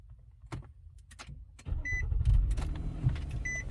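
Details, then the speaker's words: 2012 Nissan Murano with a blown head gasket, five hours after adding K-Seal: quiet cabin, then the engine catches on the first try and settles into a steady, even idle with a door chime behind; normal start. "all right this is 5 hours later let's see it's on he didn't hesitate he just started"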